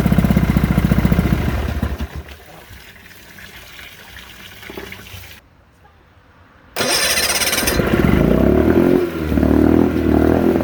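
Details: 1972 Sea King (Chrysler) 35 HP outboard, first start in nearly 20 years after flywheel key and water pump replacement: runs unevenly, fades and cuts out, restarts and surges with a stumbling beat; fuel pump needs rebuilding.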